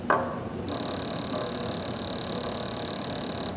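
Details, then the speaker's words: Fuel injector on a bench jig driven by an injector tester at 5–10 millisecond pulses: fast, even buzzing tick for about three seconds, then stops; injector pulsing normally. "so this is how fast the pulse is actually you can listen to it with a stethoscope too"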